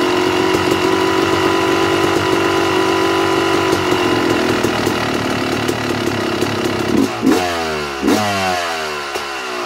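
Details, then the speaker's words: 2009 Yamaha YZ250 two-stroke: pilot air screw turned out a further turn and a half, fast steady idle sits noticeably high, then sharp blips; sucking more air through the carburetor, running lean. "all i did was adjust the air screw i turned it out another full turn and a half and the idle was picking up which means it's sucking more air through the carburetor which is not good"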